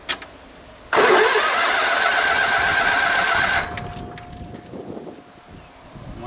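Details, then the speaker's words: Sears Suburban SS16, 16 hp Onan twin, sat for years, after changing the gas: catches and roars roughly for about three seconds, then cuts out abruptly, proving there is spark; fires briefly then dies. "Okay, before we keep going, it didn't like that, but it did start to run, right?"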